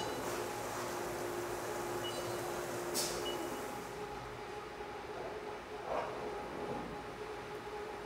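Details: CNC milling tap-test chatter demonstration with coolant on the tool: steady high ringing tone over the cutting noise, fading as the pass ends; unstable cut (chatter), with the later stable cut differing only in spindle speed.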